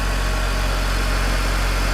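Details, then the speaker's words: 21-year-old early BMW E60 just started after fluid leak work, brake pressed: an initial squeal, possibly debris on the pulleys, then smooth, even idle with a steady low hum and no chirp; water pump thought to be no longer squeaking. "Kitisee jotain muuta. Jarrua piti muistaa painaa. Ehkä se kuulostaa kohtuun hyvältä."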